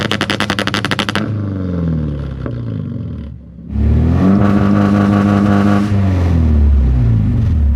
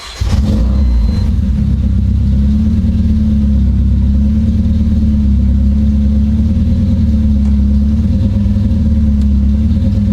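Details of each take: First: Supercharged KA-swapped Nissan 240SX on coil-on-plug ignition, tested after the fix: rapid popping stutter at about four per second on the limiter, then clean revving. The car was already obnoxious and is now more so. Launch control works. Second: Supercharged KA-swapped Nissan 240SX after a coil-on-plug ignition conversion, launch control now on a different circuit: revs held flat at a fixed ceiling with a choppy, stuttering note. The launch light shows green, so launch control is stuck active.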